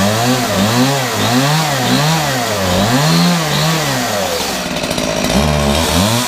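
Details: Homelite two-stroke chainsaw, after its chain brake was serviced: revs up and drops back cleanly again and again, picking up crisply with even pulls and no stumble, running healthy.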